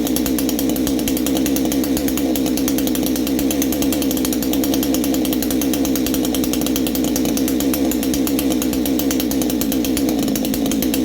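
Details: Baumr-AG 62cc Chinese chainsaw, new exhaust fitted, clutch bearing greased, carb screw at factory 1.5 turns; held wide open with high buzzy scream that never drops; possibly a touch lean, unconfirmed, owner plans richer adjustment.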